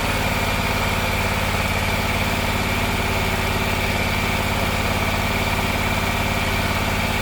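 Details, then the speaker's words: Gravely 260Z zero-turn mower, about 2006, Kawasaki V-twin, after carburetor replacement: fast, even idle well above normal because the idle screw's lock nut was loose and the screw vibrated in; being turned down and locked. "Long before I uh replace this carburetor, I noticed the uh idle had been increasing and uh for some reason and I didn't realize that the screw I guess uh it wasn't locked down. The lock nut was not locked and it's been vibrating all the way in."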